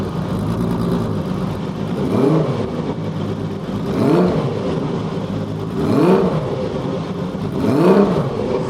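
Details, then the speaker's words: Kawasaki KZ1300 six-cylinder motorcycle, older bike given time to warm up after start: smooth, even idle with quick throttle blips about every two seconds, revs rising and falling cleanly, clutch engagement audible; healthy engine. "그저 호흡을 듣고 있는 거예요, 여러분들은. 아무것도 아니야. 그냥 시동만 켠 것 뿐이야. 6기통입니다. 6기통."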